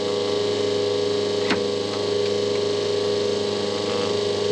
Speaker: et maintenant vous commencerez à entendre la pompe haute pression commencer à créer plus de pression dans le système